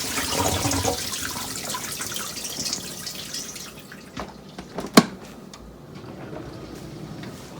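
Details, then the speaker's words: Miele Incognito dishwasher cutting out early, flashing red intake/drain light error: water swishing for a few seconds, then near silence with clicks; circulation pump keeps running then cutting out, pump fault suspected. "And you can hear the circulation pump run, then it cuts out, run, cut out, run, cut out. So something's wrong with the pump."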